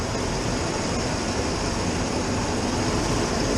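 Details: 1996 Ford F150 V8 with high idle: steady raised idle with a constant hiss while intake is sprayed with brake cleaner to check for vacuum leaks. Ductwork is off, so the MAF reads no air and it runs rough; bad TPS suspected.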